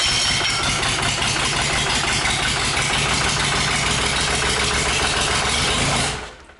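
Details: Freshly rebuilt 5.9 Cummins 12-valve diesel on an engine stand, first start, oil pressure gauge not yet hooked up: catches and runs with an even clatter for about six seconds, no knocks heard, then shuts down; normal running after rebuild.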